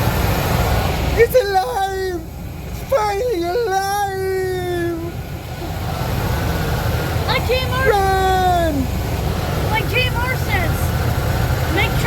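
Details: 1995 Ford F-150 4x4 with a 351 Windsor V8, just after the distributor was reinstalled: a steady, low rumble under loud voices, with no knocks or misses. The engine now runs at a smooth idle.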